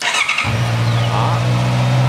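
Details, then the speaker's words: Honda CB650R that would not start, fuel pump found faulty: quick crank catches at once and settles into a steady, even idle with no misses or hunting; it now starts normally. "lổ máy bình thường rồi nhá Đó ok rồi tắt khóa như vậy là thành công"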